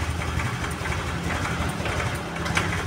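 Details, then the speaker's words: Honda Vario 110 scooter at idle, already warmed: low, uneven beat faltering, nearly stalling; idle surges up and down, carburetor fault suspected. "Nah, itu hampir mati."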